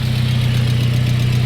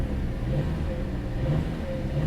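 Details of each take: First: Car at a salvage auction yard idling with muffler rusted off and serpentine belt missing after the idler pulley disintegrated: steady, loud, deep idle with an even low drone and no belt chirp. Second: Car at a salvage auction yard, in gear with light throttle blips: steady, smooth engine hum swelling gently, no knocks, ticks or whine; ABS and traction lights on, but it sounds healthy.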